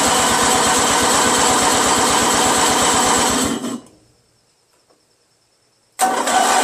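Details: Free curb-find Briggs & Stratton 16 hp opposed-twin, first start after a freed stuck valve, new ignition switch and solenoid, and fresh 5W-30: uneven thumping, dying for about two seconds before catching again. Not running right yet; cause unconfirmed.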